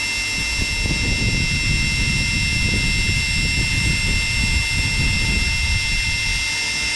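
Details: Electrolux EWF771 7 kg front-load washer in the spin-dry test after a no-wash, no-spin, motor-not-turning fault: steady high motor whine over an even drum roar, no knocking. Empty drum very steady, and the drum bearings are still quiet.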